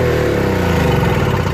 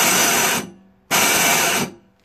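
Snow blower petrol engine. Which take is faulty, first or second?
second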